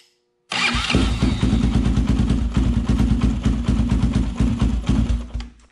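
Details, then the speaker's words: Honda 400EX quad, cold start on choke in neutral after starter clutch replacement (starter previously kicked out when cold): starter spins briefly, single catches and settles into quick steady thumping run; starts cleanly. "i have it in neutral i turn the choke on we're gonna go ahead and fire it up and see if it starts any better"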